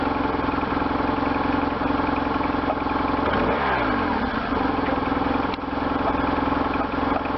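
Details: 1998 BMW R1100RT boxer twin, first run after restoration, throttle bodies not yet tuned; lumpy idle swelling into a quick throttle blip and settling back, responding cleanly.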